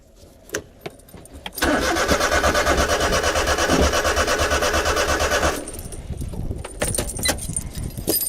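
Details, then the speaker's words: Honda Beat JDM sport car, clutch in and throttle pressed, fuel pump now delivering fuel after fuel filter work (owner suspects main relay): starter spins engine at steady, fairly quick beat about four seconds, never fires or catches; crank no start. "This time I'm not as disappointed because we figured out the fuel filter. The fuel filter's right there. Fuel pump. So it is functioning now."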